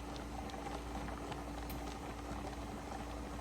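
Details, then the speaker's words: 23-quart pressure canner with 9 pints of lima beans, stove set to 9 just below high, heating before venting. Constant bubbling and pattering of rolling boiling water, no steam hiss yet. Normal boiling during heat-up. "It's starting to rock and roll, but we're waiting on steam."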